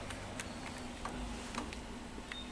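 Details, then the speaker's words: Sony SL-330 Betamax VCR during playback of a cassette: sharp dry clicks about three a second, slightly uneven, over a quiet tape-transport hum; the clicking happens every time the playback fault occurs. "Hear that clicking? See? And every time it has a problem, it does that."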